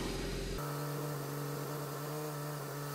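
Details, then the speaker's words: 2010 BMW 135i, N54 engine with MSD81 DME, first start after clearing immobilizer faults on a previously crank-no-start car: uneven, lumpy idle stumbling about three times a second; misfire on cylinder 3 logged. "Oh wow. Alright. That's crazy. I was not expecting that, to be honest. It is running poorly."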